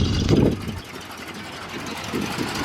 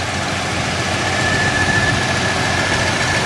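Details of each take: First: 1967 Chevrolet Impala, factory 327 4-barrel V8, sat since 1977 in the Arizona desert, cold: deep loud uneven burble with an initial blat, then a steady rumble. Loud exhaust. Owner says it could use a muffler. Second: 1967 Chevrolet Impala, factory 327 4-barrel V8, sat since 1977 in the Arizona desert, cold engine: loud steady idle, even low rumble, no knocks or misses. Normal healthy cold idle.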